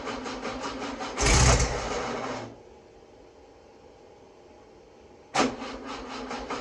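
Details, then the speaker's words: Freshly rebuilt VW 1641cc dual-port flat-four, first start: catches, runs roughly a second, dies, fires again briefly; seems short of fuel, fuel pump suspected. "seems like it's not got enough fuel to keep it running yeah your oh making the fuel pump isn't working"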